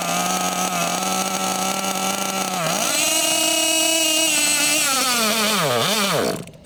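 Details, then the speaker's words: Losi LST XXL2 1/8 scale gas monster truck, .31 cubic inch gasoline engine, first run and tuning at high elevation: revs climb to a thin high scream, surge and sag twice, then cut out; far too lean, high-speed needle under a quarter turn out. "okay so it was too lean obviously we could hear it was too lean it wasn't even a quarter turn"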